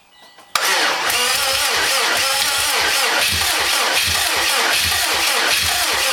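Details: 2007 Subaru WRX STI after an engine rebuild, fuel lines confirmed delivering and main harness reseated: starter turns the engine with a regular rise-and-fall beat but it never fires; crank no start.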